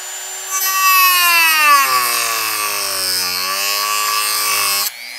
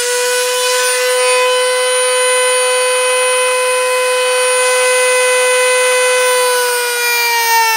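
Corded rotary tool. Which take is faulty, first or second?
first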